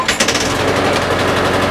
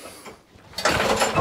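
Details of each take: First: Lawn mower (Mazport deck, Briggs & Stratton Quantum engine) after fixing a no-spark/no-start fault by adjusting the right-hand control cable; it fires at once, runs steady and even for several seconds, then shuts off cleanly. Normal running after repair. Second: Mazport lawnmower with Briggs & Stratton Quantum engine, no start and no spark, pulled with the dead-man lever held on one side of the handle: quick ratcheting recoil whirr with no firing at all; the dead-man cable is at fault.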